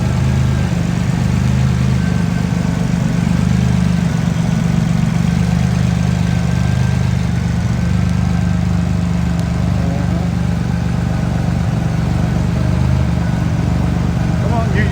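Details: Engine idling after RJC V-Band exhaust gaskets were installed, heard on a walk-around: low, steady idle rumble with no ticking or puffing at the exhaust; tight, healthy system with nothing leaking.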